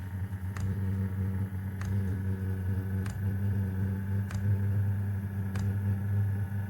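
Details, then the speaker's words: Diesel heater mounted directly on plywood, started on high with glow plug warming: steady low hum with sharp fuel pump tick about every 1.2 seconds as combustion builds; normal startup. "Okay, now you can hear it firing a little bit. And I have had this running, testing for a while before. Okay, now it's starting to go."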